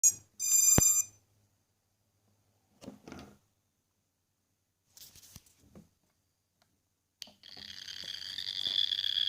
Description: The light works perfectly fine but the buzzer is making that weird sound and it's not even plugged in.